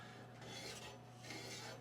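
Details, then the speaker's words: Casablanca craftsman-style ceiling fan at low speed: rough scraping rasps about every second over a low steady hum, noise in either direction and gone at high speed; heavy wobbling blade assembly has dropped and rubs the top housing. "so here's the issue um I want to turn the fan on you hear that so we're we are having some scraping"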